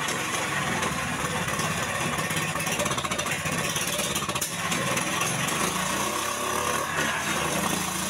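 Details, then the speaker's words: Indo Jarwo Crown rice transplanter small petrol engine after carburetor work: uneven, stumbling beat from an over-rich carburetor mixture; the engine was hard to start. "jadi untuk awal dihidupkan mesin ini mengalami pincang mungkin para sahabat sudah mendengarkan Seperti apa suara pincang pada mesin"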